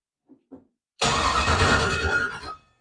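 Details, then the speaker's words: LS-swapped Ford Fairmont, first turn-over after wiring, alternator not yet wired, engine not firing: about a second and a half of brisk even cranking with steady compression pulses; strong starter, good compression, nothing sounds dead. "This thing being able to turn over is like, and for it to sound good, like it sounds it sounds good turning over. We got a strong starter. It sounds like good compression."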